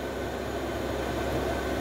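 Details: Parking heater (Cinebasto, 5 kW) in a 5.5 m camper, started by remote, blower running with smooth even rushing air and steady fan hum, no rattles; cabin starting to warm up.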